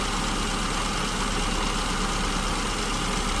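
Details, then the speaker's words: SU-carbureted engine at idle while leaning out the mixture from too rich (about 1100 rpm): smooth, steady, even drone, no hunting or stumbling; peak-speed point on tachometer, slight vacuum gauge flicker; baseline idle mixture found. "Right about there, based on the tachometer. And you notice I'm starting to get a bit of a flicker on the vacuum gauge."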